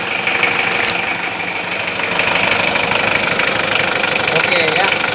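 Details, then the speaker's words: Diesel engine idling after greasing the fan belt to cure its noise: even idle clatter, no squeal or chirp from the belt; fan belt now quiet. "Oke kita hidupkan saja mesinnya untuk bagian fan belt sudah tidak Berisik lagi ya sekarang ya"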